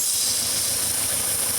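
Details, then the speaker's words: Lean codes from a vacuum leak at the fuel injector seals (at least the first injector): a strong, steady high hiss of air sucking in over a faint idle, changing pitch slightly as a part is wiggled, affecting how the engine runs. "customer has some lean codes and we can hear a vacuum leak down here and as i wiggle this it changes pitch just a little bit"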